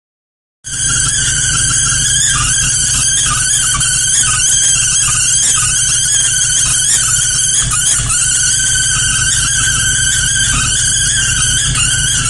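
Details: 2001 GMC 5.3L V8: loud steady high-pitched squeal over uneven idle with misfire, drive belt removed; exhaust escaping between manifold and cylinder head from broken manifold bolts, plus plugged left-bank catalytic converter.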